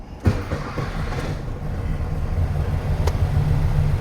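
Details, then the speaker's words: 1969 VW Beetle air-cooled engine restarted hot right after a drive, oil pressure about 10 on gauge: quick catch then steady, even low rumble settling into idle; normal hot start. "Sounds good. Yeah. Starts running."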